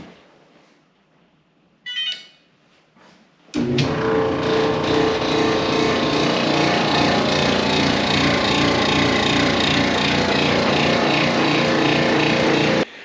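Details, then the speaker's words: Electrolux dryer: loud drum rumble with a repeating thump about three times a second and a scrape; the blower wheel is broken and rubbing its housing; drum support rollers were also replaced. "we have another dryer malfunctioning it is just rolling and making these loud Thunders noises as it's going"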